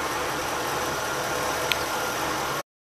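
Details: 1985 Oldsmobile Custom Cruiser 5.0 V8 after the loud fan belt squeal was fixed by removing the power steering belt: steady, hissy idle with an even rumble and no squeal.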